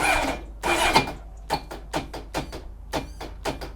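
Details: Honda Blackbird CBR1100XX, in neutral with no neutral light, suspected seized engine: repeated short clacking bursts while the engine never spins up. The starter can't turn it over; the battery is checked next and reads 12.6 V.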